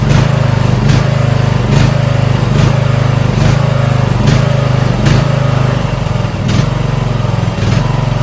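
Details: Repowered Toro Wheel Horse 1438HXL lawn tractor, choked start on a new battery with the stator charging about 15 volts: steady, low single-cylinder thrum at an even idle with a soft regular pulse about once a second; it runs smoothly and healthy.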